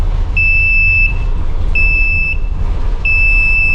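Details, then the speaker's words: RV rebuild cold start, engine running without choke, relay clicking: shrill beep about every 1.4 s, each about 0.7 s, over a rumbling idle; low oil pressure warning active, owner wonders if it is a false alarm. "Now I hear the relay clicking. Running no choke. Low oil pressure's going"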